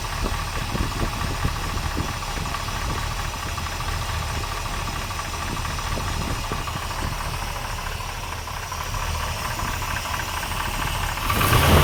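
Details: 454 big-block V8 at idle with great oil pressure: a steady tick about four times a second, loudest at the driver-side head, unlike rod knock; cause unknown, heads to be pulled.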